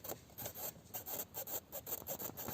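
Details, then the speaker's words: Dashboard instrument-panel creak on a 2019 UAZ Patriot: dry, scratchy creaks about three times a second as the panel flexes and shakes over the road; panel held by screws and velcro, being taken apart to find the cause. "ребята привет достал меня скрип приборной панели слушайте"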